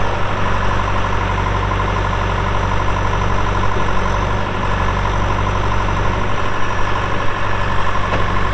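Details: 2001 John Deere 450H LGP dozer, 9,548 hours, at idle: deep, steady diesel beat with no knocks or misses; it starts right up with no excessive smoking and sounds healthy.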